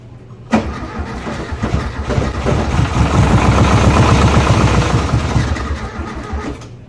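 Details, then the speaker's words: 1971 VW Beetle with new tank, fuel and ignition, primed with gas: starter churns about four beats a second, swelling then fading, never catches; broken carburetor blamed for fuel delivery fault. "why isn't it on right now we're fighting this whole time over a carburetor it's freaking two bolts yes not alone by anything we've been fighting a broken carb"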